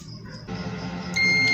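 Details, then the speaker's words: UNI-T UT203+ digital clamp meter on continuity test, probes across a wire: a steady high beep for under half a second, showing the wire is intact. "ये देख सकते हैं कि beep की आवाज़ चल रही है। इसका मतलब है कि ये जो हमारी वायर है ये बिल्कुल ठीक है।"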